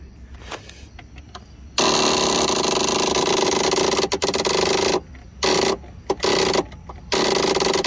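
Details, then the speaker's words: Husqvarna YTH21K46 riding mower, Kohler SV610-0212 engine, that just clicks and won't crank: harsh rapid solenoid buzzing chatter in bursts while the key is held, no cranking; only about 7 volts reach the starter wire. Low battery voltage; not solenoid or starter. "It's just hard to test when the solenoid keeps kicking out like that. So we're going to look here. showing about 7 volts through for some reason."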